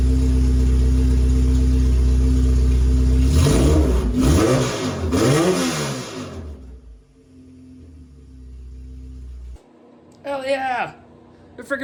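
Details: K-series engine in a supercar build, just after a successful start: it holds a steady idle, takes two quick rising blips of revs and settles back, running clean, so normal running.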